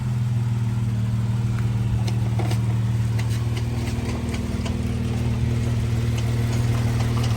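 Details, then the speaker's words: Jeep JK 3.6 V6 with over 100,000 miles, idling just after an oil change to Royal Purple: a steady, even idle with a smooth low drone and a faint light tick on top, no knocks or misses; it sounds slightly smoother. "already sounds like it's running just a little bit smoother."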